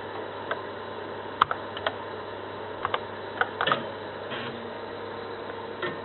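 Scattered sharp clicks of the head stepping over a faint steady hum, a normal read as the drive loads the file.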